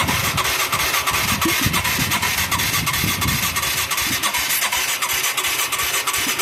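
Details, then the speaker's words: Mid-1980s Yamaha YFM200 Moto-4 quad, initially acting seized, first start attempt: continuous rapid starter cranking, never fires; no fuel reaching the bowl and weak spark, coil or rectifier suspected, maybe low compression. "we're not getting no fuel I wish we could squirt gas up in there"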